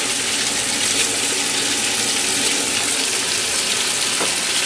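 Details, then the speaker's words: 12-year-old Kirkland top-load washer after a bad lid switch was fixed and the inlet strainers were found lint-clogged, test run on a 10-minute normal wash: steady, even hiss of water filling the tub with no sputter. Normal inlet flow. "I'm going to go ahead and turn this to a normal wash at 10 minutes turn it on all right we've got flow go ahead and throw in some detergent"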